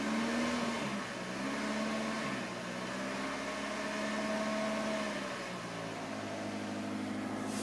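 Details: 1993 Toyota Corolla, cold engine: quiet running with a wavering buzzy drone drifting in pitch over the idle, a vibration noise heard only when cold; source unknown.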